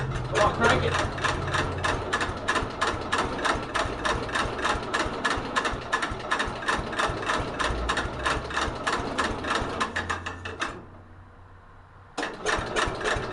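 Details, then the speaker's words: 1964 Cub Cadet 70 tractor with new engine, cold start at about 10 degrees with a jumper charger attached: steady, sluggish starter churning about three beats a second without catching; the battery sounds weak. "so are you kidding me the battery didn't sound good"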